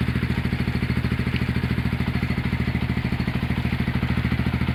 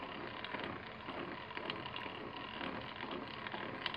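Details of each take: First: Honda GL100 (GLK 100, factory CDI) single-cylinder engine after rebuild, with a new tensioner blade and CDI fitted. A steady even idle, then crisp blips rising and falling cleanly with no knocks; the engine sounds healthy. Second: Honda GL100 (GLK) engine opened up, originally noisy at the clutch side: irregular dry "krek krek" crackling clicks as the clutch side is turned by hand; the primary gear looks new, and the sound suggests it is worn or loose.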